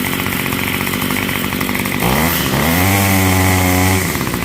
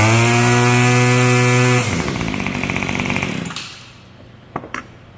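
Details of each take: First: Yard Machines Y2510 two-stroke string trimmer after fuel line repair, warmed at half choke: buzzes then revs climb and hold with a slightly ragged top end; runs well but the carburetor needs a small top-end adjustment. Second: Yard Machines Y2510 25cc two-stroke trimmer after repair and new air filter: previously wouldn't start, now starts first pull, buzzing at steady high pitch then winding down; healthy.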